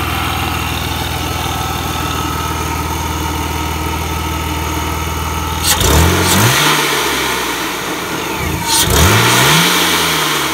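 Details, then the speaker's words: BMW E46 328i M52TU with a newly installed VF Engineering supercharger, first start, untuned, custom plumbing not yet made; steady even idle and two crisp rev blips with supercharger whine, running strong. "you guys heard it ran sounds good sounds good sounds strong"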